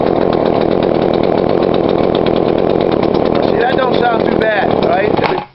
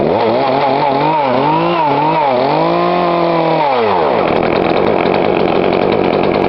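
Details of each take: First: Poulan Pro 42cc chainsaw, before adjusting the carb low screw: steady high-rev two-stroke buzz, then it falls off and dies within a second. Stall, likely mixture-related. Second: Poulan Pro 42cc chainsaw, after adjusting the carb low screw: crisp blips, then a strong steady high-speed scream. Runs clean.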